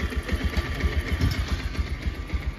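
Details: Bajaj Pulsar 125 BS6 with its throttle position sensor disconnected: the check-engine light stays on and code P2109 is set. The single cylinder thumps at a low, slightly uneven idle with unsteady pulses, and the bike repeatedly stumbles and stalls from the throttle position sensor fault.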